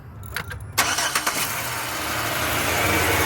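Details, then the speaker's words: 2006 Chevrolet Impala LS after repairing damaged wires restoring power to starter: few clicks, quick crank, steady even idle; starts and runs normally. "There you go. That's what it is. Car running just fine."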